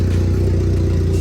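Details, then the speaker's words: SRT4 running again after the ECU was bricked. Deep, loud, steady side-exhaust rumble with no knocks or misses. It needed extra cranking to start, and fuel draining back to the tank is suspected. Normal idle. "but that's something we can fix it is running and it is running good"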